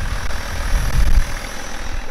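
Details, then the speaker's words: BMW E61 530d M57N 235 hp diesel after timing chain repair, particulate filter missing; steady even low diesel rumble at idle, no knock or rattle, settling smoothly and healthy. "oh yeah it sounds pretty smooth I believe there will be no issues from now on"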